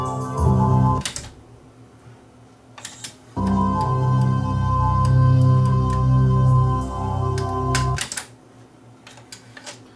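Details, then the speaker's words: Yamaha K-1020 cassette deck after motor/mechanism repair, play mode: music plays in bursts that cut out for a second or two then resume; fast forward and rewind have plenty of torque but take-up spool stops on play, idler suspected slipping. "Why is it skipping on play? Sounds like the idler is slipping a bit. Maybe it'll work its way in."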